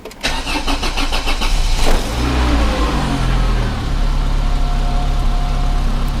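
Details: 1994 Volvo 480 2.0 petrol, cold day, sat unused a while, after fitting replacement downpipe: brief crank, catches quickly and settles to steady idle; clean cold start, though an exhaust blow is then suspected at the rear coupling.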